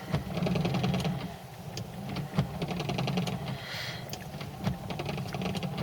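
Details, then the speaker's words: Ford Cortina Mk3 GXL with a fitted wash-wipe system having post-wipe delay: crisp light clicks at a steady pace over low engine hum as the relay sends pulses to the wipers; normal wiper relay clicking. "You can just hear the relay clicking there, that's sending the pulses out."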